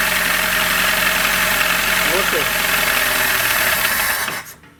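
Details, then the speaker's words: 2003 carburetted VAZ-2107, 91,000 on odometer, after DIY rebuild with new rings and bearings and 2000 km: loud uneven knock and rattle about four per second until shutoff; cause not yet found. "Ужасные звуки издаются."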